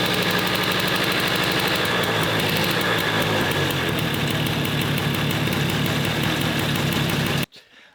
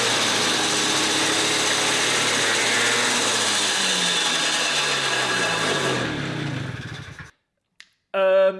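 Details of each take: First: Suzuki Street Magic 50cc moped fitted with a 125cc two-stroke Gilera Runner engine: crisp, rapid, even buzz at a slightly high tickover, no misses; carburettor and ignition not yet set up, engine healthy. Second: Gilera Runner 125cc two-stroke freshly swapped into a Suzuki Street Magic, just started on the first kick. Fast, buzzy note far above normal tickover, then winds down. Idle is set far too high; the carburettor and ignition are not yet set up.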